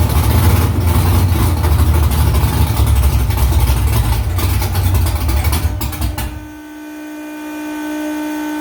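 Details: V8 with new headers and exhaust refitted under the car, first start in about three weeks. Loud, deep rumble holding an even rhythm through idle and revs, no misses or ticks; louder in-cabin with seat vibration. Smoke from drying header silicone. Normal idle and rev.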